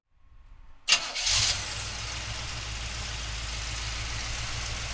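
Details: 1971 Chevrolet Blazer, frame-off rotisserie restored, 350 four-bolt-main V8: brief crank, clean catch and settled even idle with no stumble or knock; starts and runs healthy.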